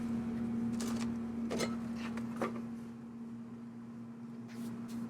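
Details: Traeger pellet grill switched on and set to high after hotrod/igniter replacement and auger priming: steady low motor drone from the induction fan and auger, holding evenly under a few handling clicks and knocks; running normally.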